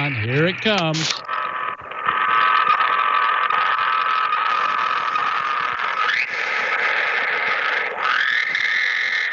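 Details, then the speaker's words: Pulsing, buzzy rasp with warbling tones over receiver hiss on a ham radio band; electrical interference from a nearby washing machine, plugged into a grounded outlet, getting into the radio. "that pulsing noise was indeed the washing machine and so I can always tell when we've got the washer on"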